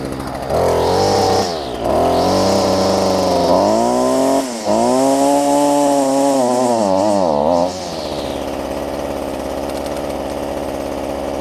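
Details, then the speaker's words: Stihl FS45 two-stroke trimmer after a replacement carb (old diaphragms bad), fuel lines and fuel filter, unadjusted, in cold weather: clean buzz revving up and down smoothly, then a steady idle. Runs great; the high-speed mixture may need slight adjustment. "nothing here the oven here is running great and i haven't even adjusted it"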